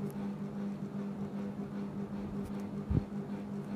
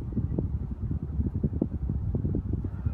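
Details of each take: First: Panasonic FM15E6 seven-speed ceiling fan, rattle returning years after an earlier repair: steady low buzzing hum with a faint rattle from a failing capacitor; fan also fails to start. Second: Panasonic FM15E6 seven-speed ceiling fan at top speed after replacing both capacitors: soft, steady low whoosh of moving air with no more rattling.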